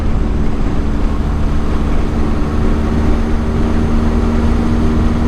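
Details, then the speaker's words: Custom-built 1983 Suzuki GS1100E on its first ride after a three-year build, cruising. Steady low exhaust drone with even pitch under wind and road noise, no misses or knocks; runs well. "seems to be running real well i probably won't mess with the timing too much on this thing"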